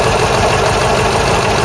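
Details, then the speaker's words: Ford Cortina Mk3 GXL engine at idle after the season: faint light tapping over a steady idle, traced to a noisy EGR recirculation valve, not the tappets per stethoscope; owner plans to adjust its spring. "I noticed the recirculation valve was noisy. That's the fumes, the AGR valve just sits down here."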